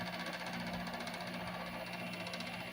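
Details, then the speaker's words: Window air conditioner (a 7500 BTU unit) running with a constant low hum and a buzzy rattling vibration; cause unknown. Vibration noise. "See if I can get it to stop vibrating. I don't know why it's doing that."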